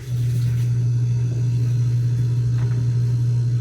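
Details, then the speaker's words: LG upright freezer that stopped cooling, after replacing the compressor start capacitor: compressor starts and settles into a steady, even low hum with no clicking or rattle. "so umandar na mga k diskarte mo TV yung compressor yan ping natin"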